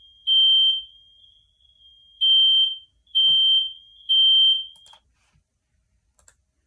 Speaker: is that sound a car horn a smoke detector a cow or a fire truck ready show me your answer the correct answer is to a smoke detector